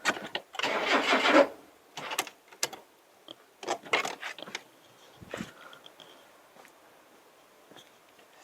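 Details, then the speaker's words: Classic Mazda sitting over 10 years, first start attempt: about a second of rapid cranking then silence, no firing; cranks but won't start, owner suspects flooding or hydraulic lock from pouring in lots of fuel, oil checked. "i think it's just hydraulic hydraulically locked but anyway i'm not going to invest too much time in it we sort of it does want to run i think it's just hydraulically locked because i've poured like 10 000 liters of fuel down the car"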